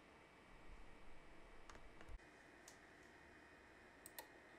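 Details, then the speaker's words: Creality Ender 3 3D printer at idle after replacing the cooling and mainboard fans with Noctua units run through buck converters: only a faint, steady low hum with a couple of stray clicks; quiet, normal. "this is the printer at idle and this listen to it sounds fairly calm and doesn't really make too much of a sound other than a slight humming"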